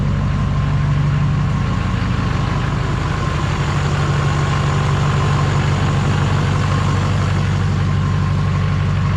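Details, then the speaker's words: GM Duramax LMM diesel pickup at idle after engine replacement, new muffler fitted, nearly 60 psi oil pressure and charging well: steady, even clatter with smooth low rumble, no knocks or misses; healthy idle. "have to double check that light but you can see here we're still holding almost 60 lb of oil pressure we're charging good"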